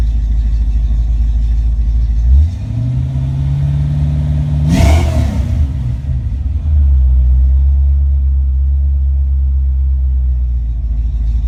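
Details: Ford Mustang Foxbody with rebuilt, tested A9L mass air ECU: starts, holds high idle, comes down to closed-loop idle around 800-900 rpm, revs cleanly and returns to steady idle, no breakup or engine light; normal.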